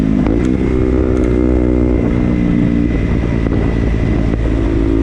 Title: Ktm duke making noise|winchester